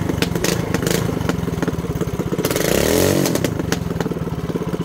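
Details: Mini bike single-cylinder with new shorty header, first start: crisp, even popping that picks up briefly with a throttle blip and settles back through the short pipe; runs healthy like a motorcycle, normal running.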